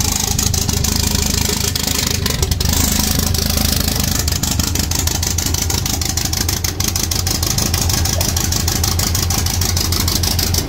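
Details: 1.8T 20V Audi A4 B7 four-cylinder on its first start after a big turbo, external wastegate, boost pipes and new coils were fitted: steady, slightly lumpy idle with a faint background rattle; normal idle.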